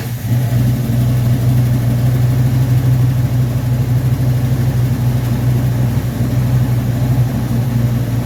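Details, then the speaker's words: Rebuilt Rochester Quadrajet 7029202 from a 1969 Corvette, first start on a freezing day: deep, steady V8 idle with an even, unbroken rumble, no misses or knocks; normal idle. "Fires up. Nice. Sounds good."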